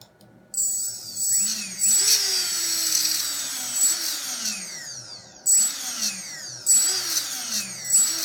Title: RS2205 screeching noise